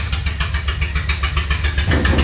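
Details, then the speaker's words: Toyota van engine running on a temporary exhaust straight off the extractors with no muffler: a loud, raw rumble with a sharp, rapid pulsing bark. "The extractors were fucking loud because there was no muffler. All the noise was just coming straight out the extractors. Sounds stupid."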